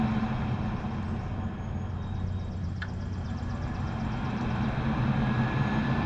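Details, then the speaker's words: Furnace with no heat call: a steady low draft inducer motor hum starts immediately when the disconnect is restored. A control board fault is suspected, and the pressure switch is still to be checked. "when I put it back in immediately the draft motor starts running sounds like we're going to have a control board problem more than likely"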